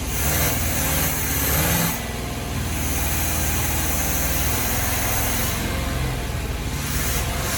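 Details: 1976 Chevrolet G10 van V8, sat in mud 15–20 years, running on a temporary gas tank feeding the carb at first real start: loud, steady running with a couple of throttle swells, no knocks or misses; runs fine.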